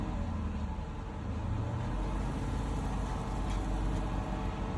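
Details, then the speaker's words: 2021 Dodge Durango R/T 5.7 HEMI V8 after spark plug replacement, revved to about 3,000 rpm: deep, even rumble rising smoothly with no stumble or skipped beats; firing cleanly on all cylinders, no misfire. "In this case, the engine sounds good."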